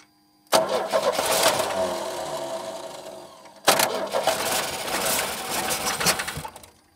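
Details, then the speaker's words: 1989 Chevy S10, 2.5L Iron Duke four-cylinder, abandoned about 22 years, on a fuel tank with loose distributor-cap lugs: two cranking bursts catch and stumble in ragged spurts then die; super dirty inside, tons of fuel getting in, MAP sensor unplugged, possibly flooding. "give it a shot and we'll see if it runs hey it kind of worked right it's super dirty in there"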